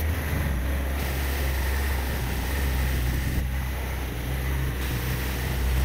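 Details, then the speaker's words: 1987 Toyota 2WD pickup with a 22R engine that won't idle, held at a very low idle almost dying during a vacuum-leak search with Simple Green. A deep, uneven drone sagging toward a stall; no leaks were found. "try to do a lower idle where it's like almost dying"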